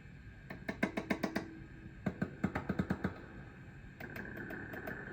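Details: Fender '63 Vibroverb reissue reverb combo, after a cap job, with volumes up while tracing background noise among many old tubes; sharp taps each followed by a short ringing tone through the speaker; tubes sound microphonic, cause not confirmed.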